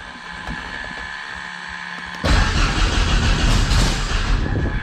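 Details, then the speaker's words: Thorp T-18 homebuilt airplane engine, unrun about six months, fresh fuel, new starter, primed, mixture rich, throttle cracked: slow uneven cranking bursts into loud firing that fades again; catching but won't keep running. "Ooh, she's so close. Oh, she wants to."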